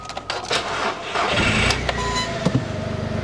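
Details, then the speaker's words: Quad after eFlexFuel ethanol kit wiring: brief crank, clean catch, steady even idle; normal start. "Ça démarre comme sortie de concession."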